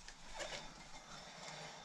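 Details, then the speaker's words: Ford Focus Mk2 front right wheel spun freely after front suspension repair: soft, steady swishing rub; suspected to be brake pad dust on the disc, not confirmed. "On entend un frottement mais pour moi pour moi c'est la poussière de garniture de frein qui fait ce boulot là."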